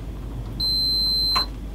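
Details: Sony CDP-C325 5-disc CD player that won't read discs, being diagnosed: a single steady high continuity beep of about a second on quiet background as the mechanism lifts. The mechanism switch has closed.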